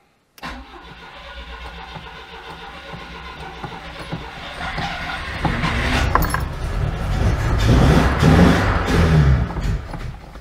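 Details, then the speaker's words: 1992 Oltcit petrol engine, sat seven years without fresh fuel, jump pack: cranks, catches, builds revs a few seconds then stumbles and dies; not getting fresh fuel, owner suspects the fuel pump. "yeah it's just running out of fuel it's not getting fresh fuel through is it"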